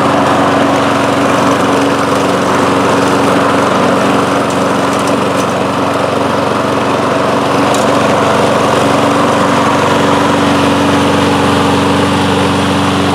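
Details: Toro Recycler mower, Kohler single-cylinder engine, after fitting a replacement main jet from an aftermarket carburettor: steady even drone, no speed swings or surging as before; normal running.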